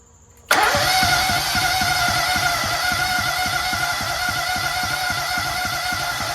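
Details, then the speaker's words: Toro Z-Master with a rebuilt Kohler EFI engine and hydraulic lifters: the starter spins steadily with even compression pulses about four per second, but it never fires; owner suspects timing off from a bad keyway or a faulty lifter. "Oh, there we go. Still doesn't start."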